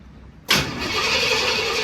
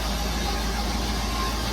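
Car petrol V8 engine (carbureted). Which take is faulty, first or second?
first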